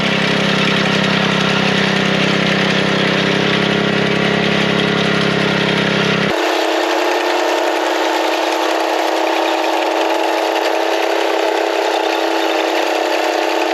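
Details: Small single-cylinder bed edger engine, with blade lowered to depth and cutting soil: pulls steady and even, no misses or surging; running healthy under load.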